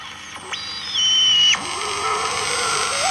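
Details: Valve radio tuning stations; clean high whistle sliding sharply up and down with the dial, then steady squeal over station, quite loud: heterodyne whistle.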